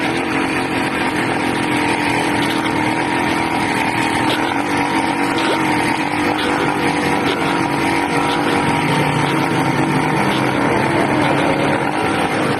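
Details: 80cc small two-stroke engine screaming loud and ragged at high revs, note never settling, lean-sounding; owner suspects a carburetor problem with a leak at the intake manifold, not confirmed.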